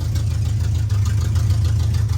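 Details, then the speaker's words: 1986 Camaro with Edelbrock Performer intake, Edelbrock Performer 650 carb and long-tube open headers, just started after sitting a while; lumpy, loping idle with uneven pulses and loud open exhaust rumble. Running rough, cause unclear. "can hear it doesn't sound the [Music] greatest but I figured it's been a while since I got it started up"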